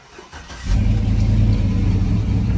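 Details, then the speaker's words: Cammed 4.8 Silverado V8 with Summit Racing cam and higher-stall torque converter, after tuning, started with no foot on pedal: catches quickly and settles into a steady, deep idle with no stumble; no misfire light, closed loop, fuel trims good. "fires up good doesn't have that hiccup where it goes up and drops a little no check engine light flashing O2 sensors are switching closed loop is on normal and short-term fuel trims are good at idle"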